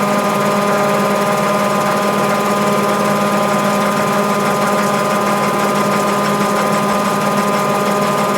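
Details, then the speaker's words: Mabe 18 kg washer, spin cycle with 110 V applied to thermo-actuator and drain pump throughout: steady, even hum with constant whirring pitch, no knocks or grinding; normal spin cycle. "cabe señalar que durante todo el ciclo de centrifugado la señal de 110 se encuentra presente o está siendo aplicada al termo todo y la bomba de agua de tal forma que estos dos componentes siguen activos durante todo el ciclo"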